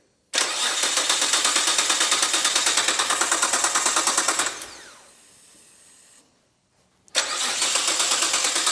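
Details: Imported Nissan GT-R being revived: starter cranks steadily at about three beats per second, stops and cranks again without catching; fuel pump not disabled, so crank angle sensor or ECU suspected, cause not confirmed.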